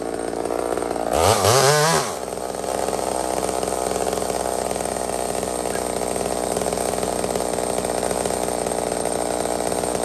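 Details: Small Homelite chainsaw, described as 28 full house on a stock chain: a steady high-revving two-stroke scream dips briefly under load and recovers cleanly. Normal cutting; runs strong and healthy.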